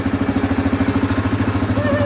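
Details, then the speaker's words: 2016 Kodiak 700 ATV idling after the leaking oil seal behind the water pump was replaced and the coolant refilled and bled: an even, steady idle thump with no misses or knocks. Runs smoothly with no oil leaking. "So, I cracked them, bled the air out, and uh this thing is rocking and rolling and not dripping any oil,"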